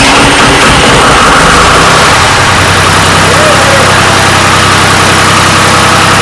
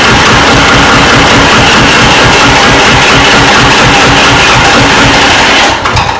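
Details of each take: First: Restored 1993 Lombardini diesel generator started on an old weak battery; steady even diesel clatter at idle with no misses, knocks or hunting, oil pressure light out instantly showing good pressure; normal idle. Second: 1993 Lombardini diesel generator, restored, just bled of fuel: clatters fast and hard, stumbles nearly dying, then catches again; runs erratically, suspected drawing too many amps and cutting off fuel relays.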